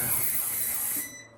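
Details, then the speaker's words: VEVOR 15L ultrasonic cleaner with heater set to 60°C, actual 19°C: piercing steady high-pitched ultrasonic whine over a faint hiss that stops after a second; normal operation. "okay so for us that just sounded annoying for you that sounded terrible"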